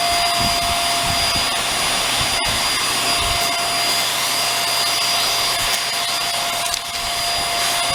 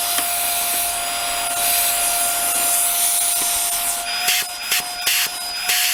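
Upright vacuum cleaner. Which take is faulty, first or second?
second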